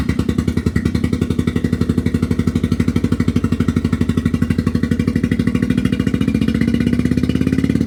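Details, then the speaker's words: Autozam AZ-1 after clearing a clogged exhaust: lumpy, uneven putter at idle with missing pulses, seemingly running on only two cylinders; a plug or cylinder suspected, later found bad distributor cap and wires. Misfire. "oh my God that sounds horrible yeah let me see I probably followed at least one plug too"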